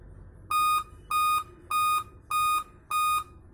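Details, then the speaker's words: Dell at power-on, switches on but no display; five steady high beeps, each about a third of a second, in an even row: 5-beep startup error code, dead CMOS battery. "तो और अब ध्यान से देखेंगे तो इस पे जो बीप साउंड आ रहा है वो फाइव टाइम बीप साउंड आ रहा है"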